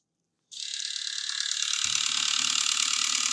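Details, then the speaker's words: Nintendo Wii with bad disc drive, top assembly ruled out, powered on: high, rapid ratcheting clatter at a few clicks per second, steady and gear-like; disc drive mechanism gears grinding or slipping. "This is the sound I'm hearing. That sounds really bad, doesn't it? I'm going to hit the eject button. That sounds like there's something in these gears."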